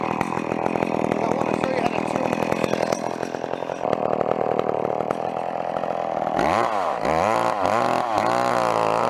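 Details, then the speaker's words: Old McCulloch chainsaw at full throttle with the high-speed carburetor screw opened too far: thick, blubbery note that sags and surges unevenly; bogging from an over-rich high-speed mixture. "so you can see what went on there hey like it was it was the high screw was quite aways open alright and it was really bogging"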